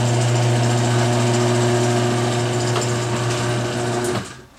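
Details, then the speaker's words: Garage door after Royal Purple MaxFilm applied to hinge joints: steady low opener hum, smooth even run, no squeaks or creaks from the hinges, then stops; hinge joints were the main noise source, now very quiet. "Wow, there was a lot more noise coming out of those hinge joints than I would have guessed. That's super quiet. It hasn't been that quiet."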